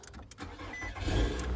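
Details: Nissan Altima started with a newly programmed smart key remote: quick starter crank, then the engine catches and settles into a steady, smooth idle without stumbling. A clean, healthy start.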